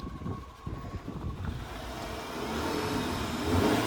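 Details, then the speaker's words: Chevrolet Spark gasoline engine, previously overheated and head reworked twice, revved after repair: smooth even climbing note, no pinging; earlier tak-tak detonation/knocking noise now gone. "अब तो नहीं है sir. Detonation आवाज तो नहीं है? आवाज नहीं है।"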